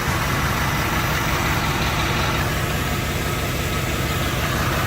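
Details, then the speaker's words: 1979 Lincoln Continental Mark V V8 after freeing stuck valves with penetrating oil, last one still slightly sticky: steady, even idle with a smooth low rumble, no stumbling or tapping, smoother than ever; normal idle. "Yeah! A lot smoother than it ever did."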